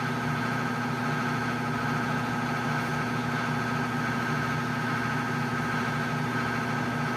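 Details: Whirlpool LSP 780GP washer, formerly noisy on spin and leaking water, after the bearing and oil seal were replaced: a smooth, steady hum at constant spin speed with no rumble, grinding or knocking; a quiet, normal spin.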